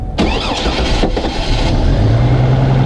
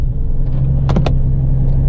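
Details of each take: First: GMC Envoy with a rough idle, restarted just after cleaning the MAF sensor and throttle body; a brief crank, then it settles into a steady, even idle with no misses and no check engine light; normal start and idle. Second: GMC Envoy on a freezing cold start, the day after its MAF sensor and throttle body were cleaned; a low, uneven idle rumble that wavers beat to beat, cause not yet determined; rough idle.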